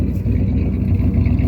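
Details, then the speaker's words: 1976 Ford F350 Super Cab, likely an FE V8 (360, 330 or 390 unknown), probably freshened up, just started on a new battery while running on bad gas: deep, steady idle with even low rumble, no knocks or misses; normal healthy idle. "Running on bad gas right now. You can just smell the bad gas, but It sounds healthy."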